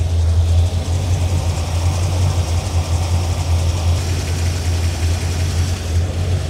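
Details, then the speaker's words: 1981 Corvette after water pump work, warming with temperature above 200 and climbing, possibly air in coolant: deep V8 idle with faint fast tick on one side, previously very loose; owner calls it valve tick. "Hate to say this, but I hear a ticking. That's definitely a valve tick."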